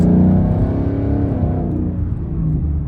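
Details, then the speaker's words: 2019 Mustang GT V8, Corsa Xtreme active exhaust after warranty fix of flapping valves, warmed up, normal mode, throttle applied: deep burble rising smoothly, no hiss or flutter; valves no longer hissing. "oh yeah no his whatsoever it's just so interesting to hear the normal mode for the first time"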